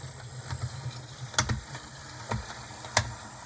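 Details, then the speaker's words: HO model locomotive run at low speed: a small motor hums while sharp, irregular clicks break through and the truck jumps, from a cracked axle gear; fix is replacing the gears with Athearn 60024 gears. "And it may not be too apparent on this, but I can definitely hear a clicking, and I can also see the truck jumping."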